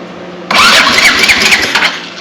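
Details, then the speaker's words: Previously seized Honda TRX200X ATV cranking after its spark plug was refitted: a loud, deeper chugging crank about 1.5 seconds long. It has real compression resistance now, and the throttle is not locked. "all right now that we've got our spark plug in there you hear how it changed the sound much deeper tone um now it's actually got some resistance going on"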